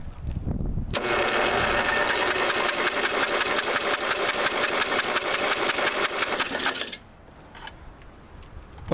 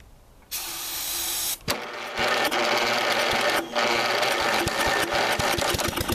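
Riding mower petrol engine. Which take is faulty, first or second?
second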